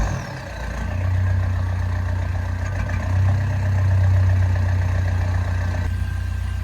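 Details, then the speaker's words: Vauxhall Combo 1.3 CDTI diesel, started after sitting a long time: low idle swelling and sagging unevenly, beat not quite steady; owner suspects the long sitting, cause not established; rough idle. "it doesn't sound quite happy, but I think that's been because it's been sat for so long. But either way, it starts, and I now have somewhat of an interior, so we are making progress."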